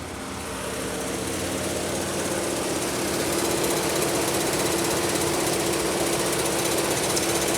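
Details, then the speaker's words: 2003 Pontiac Grand Am GT, hot engine at idle: busy metallic rattle about four beats a second. Owner first suspected the water pump but concludes it is the AC compressor; a coolant leak remains unexplained. "yeah that's that's the noise so it's it's the ac compressor not the water pump it's still really bizarre though"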